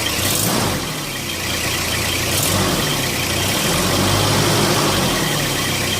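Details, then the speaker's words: Car engine after a mass airflow sensor cleaning: idle wavers and dips in about three uneven pulses a second, a lumpy stumble; rough idle, suspected throttle body, unconfirmed. "you can probably hear it a little bit the stumbling engine sort of our own well it's a strangest thing"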